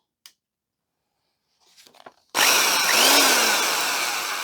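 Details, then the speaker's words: Vintage double-insulated Black & Decker electric drill after its cord checked okay: spins up instantly to a steady, high-pitched whir with an even tone and no grinding or stutter. Passes; it sounds better than expected. "okay that sounds better than I expected it passes I think it's probably worth cleaning up"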